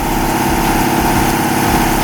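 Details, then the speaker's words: Lexus IS200 with swapped 1UZ V8 on ECU Master ECU, just after first start, ignition timing still to be set (33 degrees), coils temporarily rigged, exhaust manifold leak suspected: fast busy idle, uneven lumpy pulse, buzzy edge; rough idle. "Il y a 33 degrés à ajuster. Voilà. Il y a 33 degrés d'allumage à régler. Donc il va falloir qu'on fasse ça."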